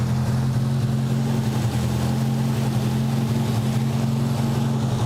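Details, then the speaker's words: Nissan 200SX at steady low drone with an uneven stumbling beat about three or four a second, misfiring every now and again; number one cylinder missing and backfiring out of the number one hole, with a spark discharge suspected nearby. "definitely hear it misfiring every now and again"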